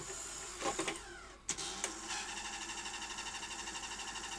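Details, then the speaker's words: Sony SL-HF100 Beta HiFi video recorder, inserting a tape; a few clicks then a labouring motor pulsing about six times a second, lacing sometimes fails and tape won't eject; loading mechanism failure. "and it's making some old noises sometimes it will complete lacing [Music] and other times it won't and it won't give me my take back"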